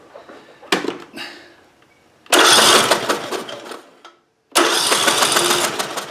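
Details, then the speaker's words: Craftsman T100 lawn tractor, Briggs Intek engine, hydrolocked after sitting all winter, cranked with spark plug removed and oil drained to expel fuel: two quick bursts of fast, even whirring, turning freely. Normal cranking. "I'm going to briefly crank over the engine with the spark plug removed, just so that it can expel whatever fuel is remaining in there."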